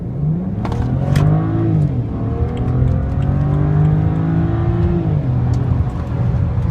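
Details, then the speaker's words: 2008 BMW E90 335xi xDrive, stock twin-turbo N54, hot, with fresh plugs, coils and HPFP: full-throttle pull from near standstill whose rising note stumbles and drops out briefly a couple of times; intermittent misfire under load. "It seems to run at the moment, right, and again, yeah, misfires. And again."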